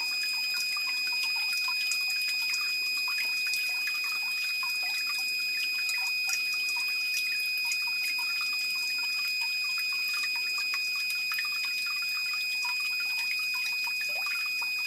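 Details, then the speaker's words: Battery backup sump pump with its check valve removed by an installer: irregular high drips and trickles, about four a second, over faint hiss as water in the line returns through the pump into the pit. "now also since the second installer removed the um the check valve water in the line now returns back into the pit through the pump"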